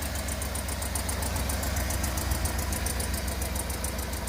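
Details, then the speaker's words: Cammed Chevy Tahoe V8 with DOD delete kit, cold start: quick sharp tick over the lumpy idle rumble, pace following engine speed, louder cold; owner suspects exhaust leak or header gaskets, not confirmed. "so there's that thing I called an exhaust leak and it's louder now so I know for sure has to be an exhaust leak but let me let you guys just hear this"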